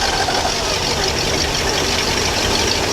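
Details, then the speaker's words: Ski boat inboard on the trailer after replacing a failed Velvet Drive 1:1 transmission with a new ZF 1:1, shifting in and out of gear: smooth, even steady-speed running with no knocks, clunks or gearbox whine; shift linkage clears the muffler, healthy. "Put it in and out of gear. Look at my shift linkage, make sure it's clearing the muffler. Yeah, we're in good shape there."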